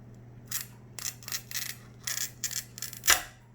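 About eight short crisp high-pitched fizzing scrapes over a quiet room: the even sound of a clean, correct glass score.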